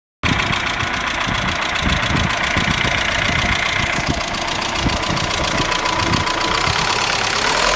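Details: Vectra 2.0 16v at idle: a steady, fast, light ticking over the engine note from the top end. The owner wonders whether it is the hydraulic lifters or a stud; the cause is not confirmed.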